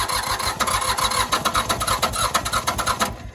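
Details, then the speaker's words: Old diesel tractor run out of fuel, non-self-bleeding injectors, in neutral, cranked with one injector line cracked until fuel drips: uneven cranking chug about three beats a second with half-catches as it tries to fire; air in fuel lines being bled. "we've already so we wouldn't starting at all before because these lines were full of air so just that one cylinder bleeding it's already wanting to start"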